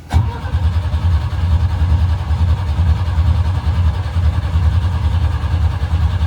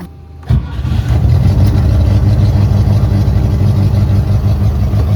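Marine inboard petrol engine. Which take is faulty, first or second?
first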